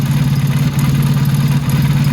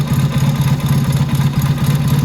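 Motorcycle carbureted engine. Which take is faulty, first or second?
second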